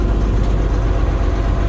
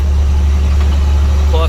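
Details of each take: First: Rusty auction diesel dump truck with about 83,000 miles, at idle: a steady, even rumble with no knocks or misses. It runs and drives extremely well, and the transmission, clutch and dump bed all work. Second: International light-rated diesel truck, running loaded with a flatbed and with weight behind the rear axle, on 19.5 tires: a deep, steady drone under load with a raw, loud exhaust note from an exhaust leak through a hole in the downpipe.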